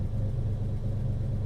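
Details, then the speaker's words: Ferrari 330 GT 2+2 Series II warming up: low rumble with idle sinking lazily from about 1000 to 800 rpm instead of snapping down; suspected air leak from carburettor or warped base plate. "that carburetor or whatever warped base plate or something is just sucking in more air and you can hear it just lazily coming down and now it's like at 1 000 and dropping 9.50"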